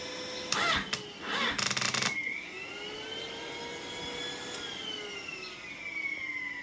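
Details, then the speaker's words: 2005 Yamaha R6 project bike, hot after running: after a few clunks a steady airy whoosh with soft wavering whir; the radiator cooling fan running normally, though a separate rattle and slow hot cranking remain. "well that's the noise I was here and I was like what the hell is that noise it's the fan"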